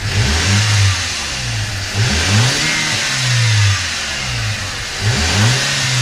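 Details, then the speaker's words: Audi A4 2.0T FSI, warmed up on ramps, before blow-off valve install: three clean rev blips rising and falling smoothly, no whoosh or flutter on lift; stock recirculating diverter valve, normal free revving. "Alright, so as you can see, you can't really hear because it is a full diverter valve."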